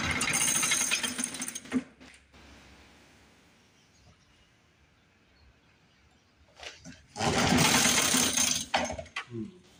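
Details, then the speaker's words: 1950s Lawn-Boy bricktop two-stroke with low compression, run on carb cleaner with hand over the carburetor: bursts into a rough high-revving run, dies, catches again; fuel starvation, owner may pull the carb. "Trying to make it suck through the carburetor with my hand. I don't want to run it off carb cleaner too long. Might wind up having to pull that carb."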